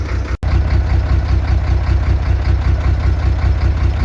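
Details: Soosan knuckle-boom crane on a truck: deep, throbbing hydraulic pump hum when lowering or slewing, starting after oil was added; oil aerating and foaming, air visible in the clear return hose, poor or no oil circulation.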